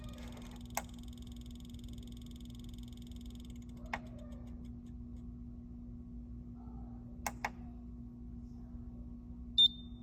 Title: LG 32GQ950-B Clicking Noise